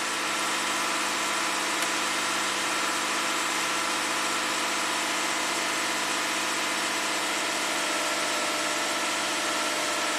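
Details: 2015 Lexus IS250 V6 AWD in Park, throttle body already replaced, no codes or check engine light; steady raised hum with no hunt, idle around 1,700 climbing to about 2,200 rpm; high idle speed.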